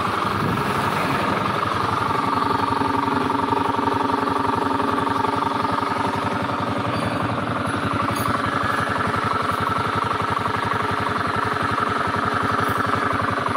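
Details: Honda Beat scooter at steady idle with a fast, even rumbling knock from deep in the engine, not the CVT belt drive or fan; worn crankshaft bearing.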